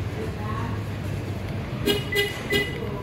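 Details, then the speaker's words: 2023 Toyota Agya alarm while trying to set silent mode via remote lock/unlock sequence: three quick horn chirps over a quiet idle, meaning silent mode has not been set yet and the procedure must be repeated. "nah ini masih belum berhasil ya teman-teman kayak gitu memang harus dicoba-coba terus"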